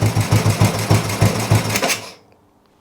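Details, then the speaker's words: Old Royal Enfield 350 single: even thumping at about three beats a second, clean and regular before shutting off; engine sounds sweet, running normally. "engine sounds really really sweet"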